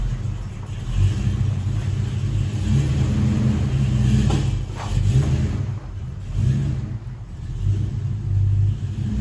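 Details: 1968 Dodge Dart GT convertible, 318 V8 from a truck with under 70,000 miles, 4-speed manual, sat about six and a half years, owner thinks 140 psi compression on all 8 cylinders, good oil pressure: start, deep even rumble through several smooth revs, no knocks or misses; healthy.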